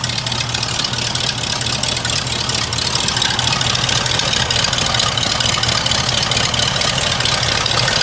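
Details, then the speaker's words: Hearse just after exhaust work, warming up before its 50-mile break-in oil change: uneven, loping idle with a hiss; vacuum leak from a collapsed PCV valve hose sucking itself shut, hose needs replacing. "That PCV valve hose is not right. It's like, it's sucking itself. I need to get a new hose for that. That's not good, because now you're not getting your air that you need."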